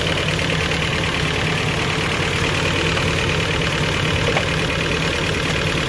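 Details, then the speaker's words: Toyota 22RE engine with new timing chain and water pump, first run in about 3–4 weeks: loud, uneven, stumbling rough idle with some smoke; no throttle response, bogs when floored; owner suspects TPS sensor, cause unconfirmed. "It will pretty much idle like this the whole time and run, but obviously, like I showed you, I can't get no throttle response, so I can't drive it."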